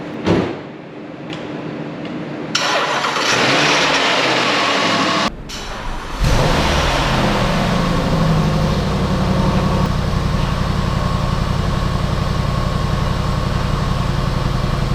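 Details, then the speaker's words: Flood-damaged 2014 Jaguar XK V8 (Ford-stamped engine), first start after replacing the blown 400 A starter fuse: brief cranking, clean catch, steady even idle without knocks; it runs, normal start and idle. "well at least we know it runs now carry on"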